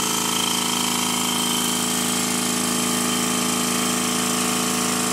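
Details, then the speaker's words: Rebuilt Stuart 10V steam engine running fast on compressed air, externally lubricated, after fixing tight spot at bottom of stroke: quick even beats about three per second with light mechanical chatter, no knocks or misses; healthy. "fast as you've just heard it does sound rather nice here it is running slowly and it's almost silent"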